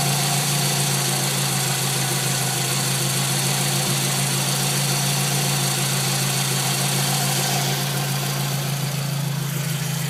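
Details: Scion tC petrol engine idling smoothly after a new water pump was installed; the scraping, scratchy sound is gone. The old pump's bearing felt gritty and wouldn't spin freely.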